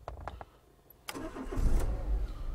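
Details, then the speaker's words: 2004 Renault Laguna 1.6 petrol with no crank, no ignition lights and flashing immobilizer light, power applied directly bypassing the card reader: a few clicks, then engine fires and idles evenly; normal engine start. "we have ignition there we go people now so that's the problem"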